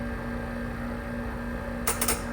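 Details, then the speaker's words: Sanatron vacuum testing system, rotary vane pump pulling the 16-inch chamber to the step-2 target of 254, then the valve closes and the timer starts: steady pump hum then sharp double click; normal valve closing. "So we closed it. There we go. And the timer is running 6, 7, 8, 9, 10, and it's gonna open again."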